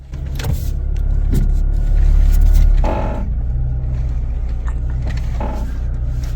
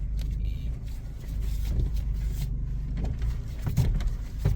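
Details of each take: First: Dull creaks and groans in irregular bursts over idling engine when steering is turned, e.g. to full lock; usually a suspension component such as strut assemblies or ball joints, cause not confirmed. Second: You see, the problem has gone away completely. It's just too much torsion in there because the strut mount bolts were tightened while the car was in the air, and that is why you should never do that.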